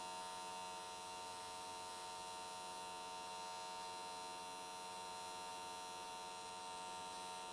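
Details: AC TIG welding an S13 catch can, 95 Hz square wave after a settings change: steady, even high buzz with no popping or wandering. Normal, clean arc; went the whole way around in one session with nice results.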